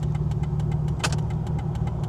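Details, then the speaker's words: Modded Chrysler Prowler at idle with turn signals on: quick even clicking about six or seven ticks a second over steady idle; signals work but blink awfully fast. "they sound like they're working they seem to be blinking awful fast though"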